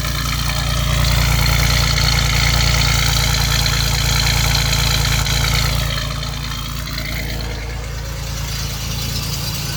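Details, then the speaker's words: 1989 Chevrolet Celebrity 2.8 V6, three-speed automatic, new full exhaust, crankcase vent capped off due to vacuum leak: steady even low rumble at idle with no stumble; smooth for now, misfires at idle intermittently. "brand new exhaust from front to back as smooth as ever"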